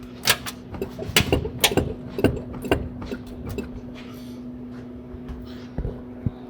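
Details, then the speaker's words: 2010 Lexus HS250h front suspension bounced: sharp uneven clunks as the strut top mount moves up and down; damaged front strut, both sway bar links also failing. "clunking sound from front suspension right there is the top of the strut mount and when you hit bumps see how it's moving up and down and clunking"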